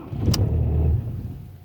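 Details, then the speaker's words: Audi A4 B7, after freezing weather and high humidity: ignition on, starter catches, engine fires with a deep rumble, runs under a second, then stalls; start-and-stall, owner links it to moisture affecting the electronics. "Audi a4b7 включаємо запалення нема нічого заводимо заводися іглох ще раз запалення"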